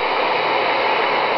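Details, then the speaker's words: Sproutie general-coverage HF regenerative receiver on 40 m SSB, Sunday morning: harsh even hiss and distorted rushing with no clear signal as too much RF gain overloads the detector and the oscillator starts pulling; keep RF gain well down. "did you hear that the detector starts overloading and the oscillator actually starts pulling and you do not obviously do not want that so so keep the RF game well down"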